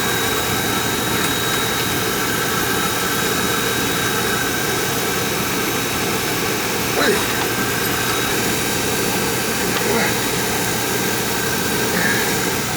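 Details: Oil furnace after a burner service and fix, with good oil flow confirmed and a little air purged. The burner flame and fan make a steady roar with an even hum and no puffing or sputter, firing normally.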